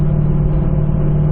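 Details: Steady low howl under road rumble at about 70–75 mph, which began above 60 mph. Infrared check after sustained driving read about 139°F at the right front hub versus about 110°F elsewhere, rears 90°F. Worn right front wheel bearing.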